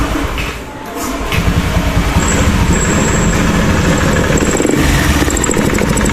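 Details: Honda Beat eSP scooter, already partly dismantled, hard to start and misfiring at higher throttle: catches, then stumbles and sputters badly and dies.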